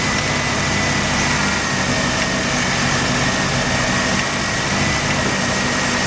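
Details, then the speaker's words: Mazda RX-7 rotary failing inspection with very high CO (2.70): rough, shaking idle with irregular stumble, misfiring mainly on slight throttle, no oil pressure shown, ignition leads already measured; cause not found. "I noticed that he's misfiring. It has a rug idle, it shakes a bit, and he makes a peculiar noise when I crank it for the first time."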